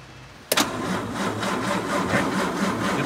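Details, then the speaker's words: 1953 Bentley R-Type James Young sedan during a pre-purchase inspection, cranked on a booster; quick crank, clean catch into a steady even idle, what may be the fuel pump heard clicking along; normal cranking and start. "definitely cranking over. Good. So we're in here. We can hear. I think it sounds like the fuel pump is clicking along."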